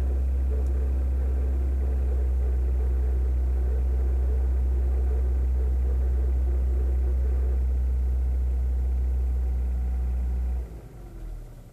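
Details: Kia Ceed JD engine: deep droning idle with a regular pulsing about four times a second until shutdown; abnormal extraneous engine noise, cause not evident.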